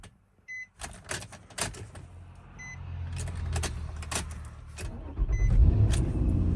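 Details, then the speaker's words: 2006 Nissan Murano SL 3.5L, limp mode and weak acceleration, first start after battery replacement following starting issues: a few clicks and chimes, brief crank, engine catches straight away into a steady low idle; healthy start. "That actually started quite fast. That's not bad at all."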